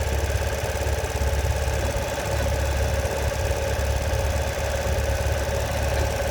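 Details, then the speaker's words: Ural Patrol motorcycle idling, noise started after long ride: uneven lumpy clatter over low rumble only while clutch is pulled in, goes away with clutch out; no clutch slip, gears shift fine; source unidentified. "Gears shift fine, just makes that horrible noise when working in the clutch."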